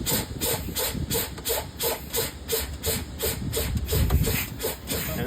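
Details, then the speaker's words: Penske truck air brake low-air check: quick, regular hissing bursts over a low rumble as pressure bleeds down to about 20–30 PSI, park brake valve expected to pop out promptly (slow release suggests sticking valve O-rings); normal air brake release. "this will pop out. Uh Usually, if this doesn't pop out, and it's just it comes out slowly, that's something that we need to address."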